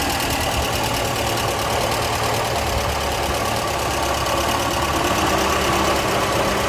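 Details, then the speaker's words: 1982/83 Ford Orion Mk1 1.6 Ghia, stock engine, warm, bonnet open, electric fan whirring: steady tickover with slight unevenness; runs acceptably, possibly due a tune-up. "Again, it's ticking along. Inner wings are all good."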